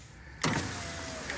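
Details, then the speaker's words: 2010 Nissan Altima Coupe power window going down: steady motor whir starting suddenly, even tone dropping slightly in pitch as glass travels, seems good; normal on the way down. "fine you can hear it seems to be good"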